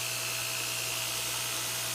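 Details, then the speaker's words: Newly wired electric motor on knife grinder, powered from shed (lights dim from draw): loud even drone, steady hum and belt hiss, no knocks; runs smooth with little rub. "Everything is running very nice and smooth, nice and loud. I don't think we're getting too much rub happening down there."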